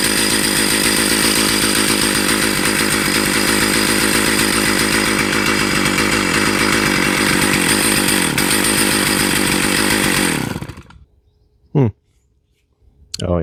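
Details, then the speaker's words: Stihl 028 AV Wood Boss chainsaw, sat for years, first run: strong, even two-stroke buzz held steady about ten seconds then shut off cleanly; saw runs well, clutch drum/sprocket not yet fitted. "Learning chainsaw 101. But hey, it runs. Woohoo. Success."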